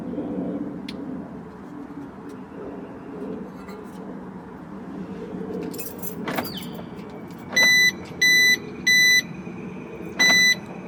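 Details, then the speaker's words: 2006 Mercedes W211 E350 4Matic, alarm set off after a replacement siren was fitted: four short, shrill, evenly pulsed beeps, an amplified piezo buzzer rather than a siren. Wrong replacement part. "what the hell is that it's a peo electric buzzer that's just Amplified"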